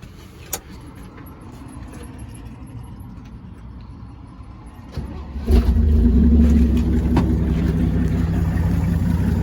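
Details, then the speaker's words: 1965 Chevrolet C10 short bed, sitting since 1994, carburetor filled by hand with fuel line not yet hooked up: deep, even idle with steady low hum, no knocks or misses, smooth as a sewing machine; healthy idle. "I mean, look at that. How in the world can you beat that? I mean, it just runs like a stinking sewing machine."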